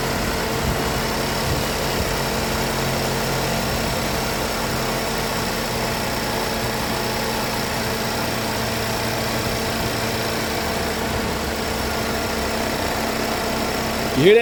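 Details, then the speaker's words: GMC direct-injection engine after a head gasket job, at idle: steady running with a light, quick ticking on top, which is the normal sound of the high-pressure fuel pump. "the engine's loud direct injection engines are very loud because of that thing right there the high pressure pump"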